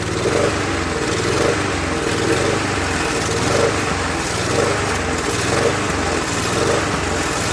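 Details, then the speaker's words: Murray mower, Tecumseh engine replaced by Briggs, after priming: engine speed swells and sags about once a second, hunting instead of holding governed speed; owner suspects not getting enough fuel, plans another carb cleaning. "So, not getting enough fuel. We'll have to adjust the car, I guess. Well, not adjust it. We'll have to give it another cleaning."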